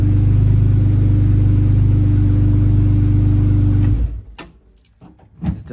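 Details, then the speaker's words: Engine running right after a start following a 12V fuel pump relay install: steady, even hum for a few seconds then shut off; runs normally after a slightly long crank. "definitely cranking for a little bit longer than usual, but yeah, starts right up."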